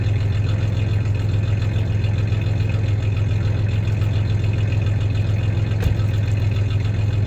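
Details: 1993 Ford Ranger 3.0 V6 idling with a little rev: low steady idle with faint uneven stumble, about three and a half pulses a second; slight misfire; clanking is bed tie-downs, not the misfire.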